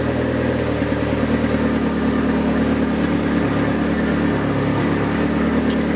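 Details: Neon SRT4 first start after a new clutch install: steady, fast, even idle with no misses or knocks; normal cold high idle that will settle once warm, air/fuel ratio right, needs fresh fuel.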